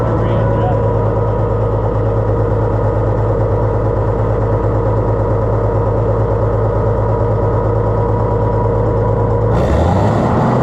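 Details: Oliver 1650 tractor engine after governor work: fast steady high idle with no hunting or settling down; governor lets it rev too high and needs adjusting.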